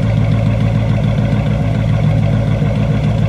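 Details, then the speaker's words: Buick on a cold day, at idle: a deep, loping rumble with an uneven beat of roughly three stumbles a second; the right side sounds different from the left, suggesting a misfire on one bank; it misfires badly when cold. "right sounds a little bit different than the left and when it's cold and misfiring like hell you don't even want to see it"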